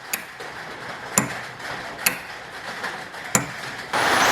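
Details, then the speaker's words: 1978 Ford F100 being rewired, starter motor supply disconnected so the engine won't crank: four crisp clicks about a second apart as the starter solenoid pulls in, with rain hiss on the roof behind. "did you hear the clicking noise that's the solenoid pulling in and closing the switch for power to flow from the battery through to the starter motor"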